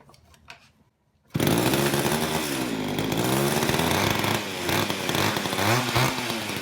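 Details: Old Craftsman two-stroke chainsaw after long storage with a gunked carburetor, cold in a shop of high 50s to low 60s °F, mixture screws untouched; lively steady buzz with gentle speed swings, no bogging, excellent compression, good throaty pop.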